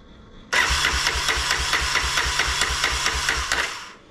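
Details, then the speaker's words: Honda ATC 250SX three-wheeler after restoration and carburetor rebuild, bowl filled and checked for leaks: rapid uneven firing chuffs about three per second for three seconds then dies; cranks but won't keep running, owner wonders if something is unplugged. "up hm that's not good have I got everything pluged back in"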